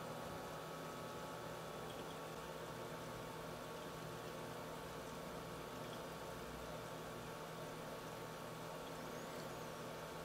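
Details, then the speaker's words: H220 liquid-cooler pump running at 2400 rpm while the PC boots; its maximum is about 2990 rpm. A steady, even whir with a faint hum and no rattles or grinding, like a fan. The pump is running normally. "currently the pump is running at 2400 rpm you know honestly sounds like a fan to me"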